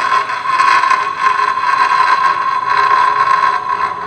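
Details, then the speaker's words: Suzuki Nex scooter CVT, cover open versus closed: constant high whine with rough gritty rush, unchanged and louder with the cover open since damping is lost; a worn CVT bearing. "Apakah suara dengan kondisi terbuka dan tertutup tapi masih sama"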